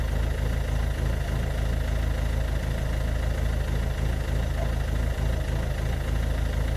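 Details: Ford Focus MK2 1.6 TDCi 90hp diesel with white smoke: heavy idle with chuggy, uneven low pulse about three beats per second; rough idle, cause unclear.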